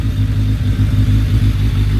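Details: Suzuki Bandit 1200S with SACS cooling, a new battery and fresh mirrors, warming up ahead of a ride: a steady, even low four-cylinder rumble with no misses or knocks, a normal healthy warm-up idle.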